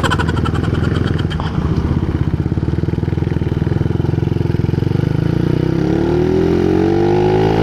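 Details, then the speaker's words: Honda CBR150R: loud, deep, popping exhaust at idle that climbs in pitch on revs. The removable silencer insert fell out during a ride, leaving the exhaust open. "Pasensya na mga idol mukhang magiging pasaway tayo sa daan ngayon maingay yung tambutso guys"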